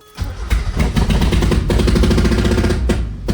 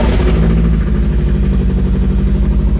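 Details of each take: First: NA Miata with BP4W engine swap, first start on fresh fuel with the throttle cable being adjusted: deep, lumpy idle with uneven stumbles and dips in loudness, never settling; it runs rough but holds compression. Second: Mazda NA Miata with BP4W engine swap, first start after throttle cable adjustment: steady, even idle with no throttle applied and no stumbles; normal idle.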